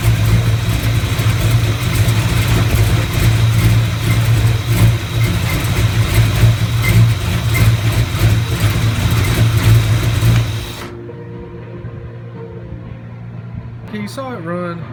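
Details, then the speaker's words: 1970 Chevelle V8 briefly run on an old GM points distributor, plugs gapped .045 not .035: very slow idle, about three uneven lumps a second, then shut off; owner expected it to run poorly; rough idle, cause suspected, not confirmed. "so this engine's probably going to run crappy another reason is I did not Gap the spark punch at 35,000"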